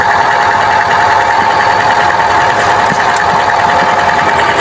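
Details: Chevrolet Trax with code P0300: loud running engine with an uneven, stumbling beat under a steady drone, a rough idle from a misfire; cause suspected, not confirmed.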